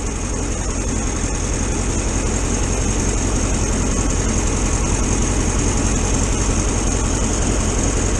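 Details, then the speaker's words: VW T2 camper van air-cooled flat-four, just started on a chilly morning after slow cranking, running on auto choke: an even, steady low chug with no knocks or misses. Healthy idle while warming up. "there we go uh they obviously have an auto choke smell a bit of fuel that is obviously on choke in a minute i'll let it warm up a few minutes"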